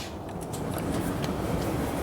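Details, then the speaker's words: Older Maytag dryer running after its broken belt was replaced with a new 100-inch belt: a quiet, steady drum rumble with a soft even hum and no squeal or thumping; it runs smoothly and heat comes out the back. "and music to my ears you hear it running running nice and smooth the belt fixed that"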